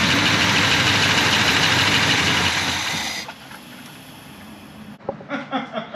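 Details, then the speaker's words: 1984 Chevy C10 V8 after sitting about 20 years, fresh oil and filter with zinc additive: loud even roar settling quieter, no pinging or knocking; fired right up, normal running. "20 years this thing's been setting it just fired right up"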